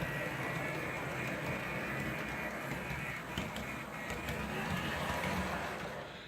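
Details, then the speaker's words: Nearly new Atlas GP39 model locomotive, run only a few laps, with a steady, gritty, raspy whir of drive-gear noise, much louder than a Walthers Mainline GP9. "a lot of gear noise in it I hope you guys can make it out because it's actually kind of horrible"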